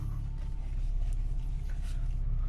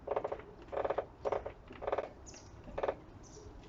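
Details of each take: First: Audi 80 at idle after reinstalling front struts to cure a driver-side spring creak when steering: steady idle with a power steering pump whine, no creak or groan as the wheel turns. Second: Audi 80: loud squeaky creaks in bursts when turning the steering wheel, mainly to the left, from the driver's side front strut; worn strut top mount suspected, felt as vibration there.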